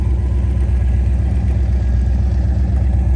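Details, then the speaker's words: Restored 1972 Jeep CJ-5, rebuilt factory 304ci V8, 3-speed manual, double roller timing chain, electric fuel pump, about 500 miles since completion: deep, even idle pulsing about four times a second, no misses or ticks; normal healthy idle. "Go ahead and fire it up here. Doesn't get much better than that."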